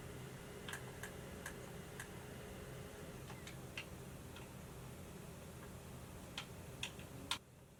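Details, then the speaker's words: Xbox Series X running Assassin's Creed Valhalla from disc: irregular soft ticks and clicks over a low steady fan hum; prominent but normal disc-read noise, not an issue once the game is installed. "any sort of disk reads on a series x seem to be very prominent but again not much of an issue with modern consoles once the game is fully installed"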